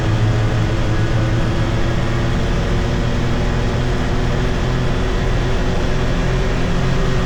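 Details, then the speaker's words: 2022 Can-Am Defender HD9 DPS cab with factory heater, after foam weather stripping fixed the loose heater core; low engine drone building with road speed at 30-45 mph, no rattle, faint tingy sound. "So, that that was a lot better. I heard this little tingy sound after, but I never noticed that before. Probably cuz that was rattling too much."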